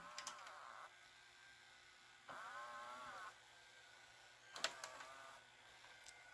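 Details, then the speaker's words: Mitsubishi HS-U760 S-VHS VCR from the mid-90s, after new loading belt, cleaning and lithium grease on loading tracks: small motor whirs in short even runs with light clicks as cassette threads; smooth loading, no grinding or slipping. "let's go ahead and pop a tape into it and make sure it has video before we go any farther"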